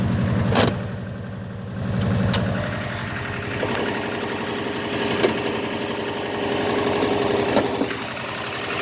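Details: Subaru EJ205 turbo with over 200,000 km, at about −15°C, idles with a light, quick tapping knock over the exhaust note. The knock fades when warm; compression is 13.5–14, boost 0.7, little oil use, and the source is not found.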